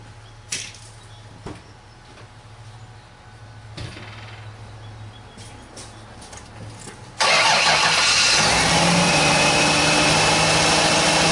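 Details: Start of a 2000 Ford Taurus 3.0L OHV V6 at about 107,304 miles, just after alternator replacement: a few clicks, then it cranks, catches cleanly and settles into an even, steady idle with no belt squeal. Normal start.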